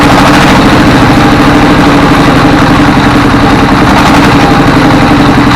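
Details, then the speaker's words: Single-cylinder S1115 24 hp diesel with heavy black smoke: loud chugging with speed rising and falling, an unsteady idle; suspected injection pump. "ini gasnya naik turun kemudian asapnya banyak"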